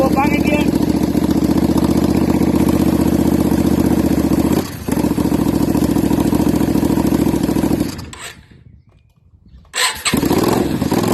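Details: Yamaha Virago XV535 V-twin on test 2 of a 3D-printed single-carb conversion inlet manifold, choke held up by hand because it can't be locked: lumpy, uneven running that sags and nearly dies around eight seconds before catching again; the test failed.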